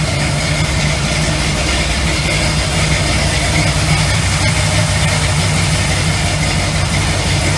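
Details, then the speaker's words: Classic car at idle with oil pressure around 65-70 psi as powerful electric fans kick on: a deep, loping idle with a steady low rumble that stays smooth as alternator load is added. Sounds healthy; rear final drive 4.11. "I mean, as soon as those things kick on that alternator, you can hear that load."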